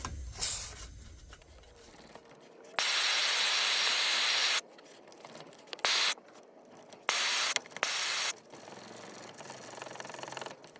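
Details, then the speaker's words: 1948 Major 236 lantern, bought disassembled: bursts of sharp hissing as tank pressure escapes back through the pump check valve after pumping; check valve stuck open, mantle already holed. "check valve is leaking really bad losing a lot of pressure on the check valve before I close it already blowed a hole in that mantle"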